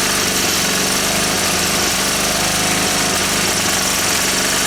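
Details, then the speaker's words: Small Honda E300 generator that needs carburettor work, running flat out: steady hammering buzz with harsh metallic chatter as its frame rattles against a fence; it works well enough. "But it works well enough. It rattles on this fence, as you know."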